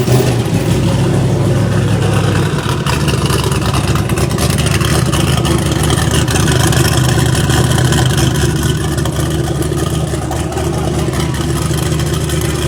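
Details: Newly built 5.3 iron-block engine with 13:1 compression, set up for 50 lb of boost, after fixing the swapped MAP sensor ground and reference wires: loud, steady, deep idle with an even low drone and no misses or stumbles. Normal idle.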